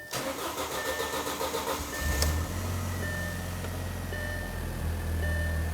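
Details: 2004–2009 Audi A4 Quattro just after a fuel pump module replacement, key cycled to prime the pump: the starter cranks evenly about two seconds, then the engine catches and settles into a smooth idle. Normal start.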